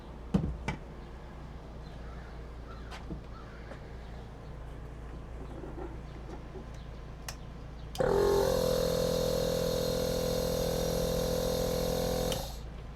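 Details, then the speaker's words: Small air compressor in a vehicle camper build, powered by the new basic electrical system (battery charging at 186 W), out of camera view: it kicks in with a steady buzzing hum and runs evenly for several seconds before shutting off; healthy. "Now we're going to test the air compressor. It's out of your view, but you'll hear it when it starts."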